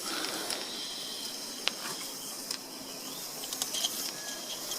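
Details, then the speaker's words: Gauge 3 Kingscale 14xx live-steam locomotive, gas-fired, in reverse with the regulator slightly open and being pushed along: hissing steam with gurgling, spitting bursts. Condensate water is being cleared from the cylinders up the chimney. "you can hear the water gurgling and squirting up through the chimney then they're ejecting the water from the cylinders from the chimney"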